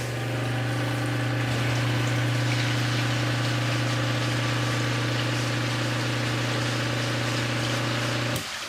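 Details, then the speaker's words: Sump pump after fitting a new Zoeller Quiet Check Valve 1030-0242; steady low hum for about eight seconds, then a clean cutoff with no thump; normal, quiet pump cycle. "Holy cow, are you kidding me? That was absolutely zero sound. Like, I was expecting at least like a little bit of a thump."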